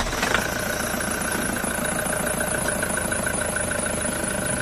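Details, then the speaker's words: Toyota Hiace on a cold morning start: steady high-pitched squeal over the idling engine that fades after some seconds and returns each morning, from a worn, slipping drive belt. "Meron nga siyang kuliglig ' ba pero mawawala din daw yan katagalan"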